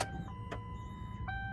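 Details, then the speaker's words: Ford Crown Victoria with a newly fitted fuel pump, running: a steady high whine over the engine's low rumble; owner reports voltage issues and suspects the fuel pump driver module. "but you see how it's having like a sound issue so now we got to go and try to get the field pump driver monitor from a junkyard"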